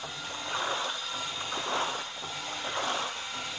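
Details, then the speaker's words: Sanyo washing machine: water has stopped running in and the tub swishes back and forth in an even rhythm about once a second; washing proceeds normally, the earlier non-stop fill blamed on a damp, damaged pressure float. "सभी ने देखा कि पानी बंद कर दिया गया है अब ड्रम में पानी नहीं बह रहा है, मशीन धुलाई"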